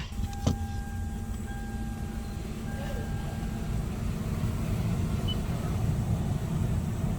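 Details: 2016 Toyota Sienna cabin blower after the loud blower motor was replaced: a smooth, steady fan rush with no rattle or squeal, running normally.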